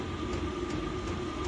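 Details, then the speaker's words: Diesel heater newly fitted in a shed, being turned up; steady fan whir with crisp dosing-pump tick about three times a second, pump running faster; normal fuel pump ticking. "now the pump you near starts running faster it'll start getting hotter and blowing harder as you can hear the pumps going more"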